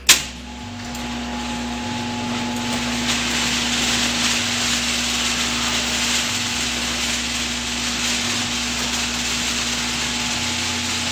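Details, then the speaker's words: Steel garage door rollers before replacement with nylon ball-bearing rollers: opener runs with loud hissing rattle and steady motor hum, ends with thud; decibel meter reads 85.1 dB max, 72.0 average (after nylon rollers, 74.7 max). "what I'd like to do is measure what the sound of the door is prior to replacing it with that I'm going to use this decibel meter and we'll go ahead and open up the garage door"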